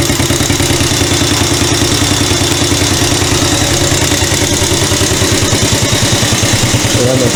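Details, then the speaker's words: Chinese CT-125 ATV at first start after repair: even single-cylinder putter of about three beats a second with no knocks or misses; it runs after a bent valve was found and the exhaust valve had been fitted in the intake slot. "it's all it was is the bent Val and we put the exhaust valve in the intake valve slot on the head and it runs"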